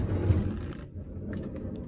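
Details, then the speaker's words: 2005 Honda Odyssey center sliding door, power feature off, before roller replacement: low rolling rumble then dull clunks, door stiff and hard to open; worn rollers. "You can kind of hear it clunking a little bit. It's also really hard to open."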